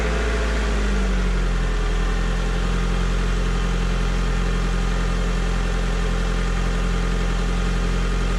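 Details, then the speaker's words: 2003 Honda Civic LX starting after a battery replacement: cranks briefly, catches within a second, and settles into a steady, even idle with no knocks or misses; normal. "well the engine certainly sounds good here"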